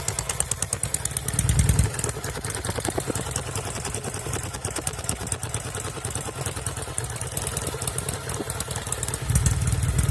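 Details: 1974 Norton Commando 850 idling with un-muted silencers and a tighter clamp seal at the headers; smoke from the left side. Loud uneven twin idle with a lumpy, stumbling beat and occasional dropped pulses: intermittent misfire heard from the left side.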